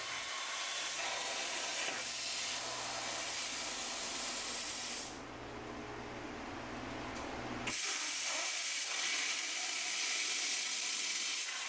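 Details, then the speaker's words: A Cut50L plasma cutter cutting on a CNC table gives a harsh arc hiss that sputters on and off as the arc flashes from red-orange to blue; the suspected torch fault is confirmed once the shield cap is removed. "did you see that the arc changed from a red orange to a blue for a split second and if you listen closely you can hear some sputtering this occurred on and off for the rest of the cut"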